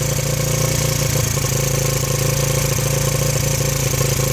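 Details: 1985 Yamaha Moto 4 80cc ATV on fresh fuel with the fuel valve shut off, small single-cylinder thumping at a steady, even idle with no stumbles or hunting until it runs out of fuel.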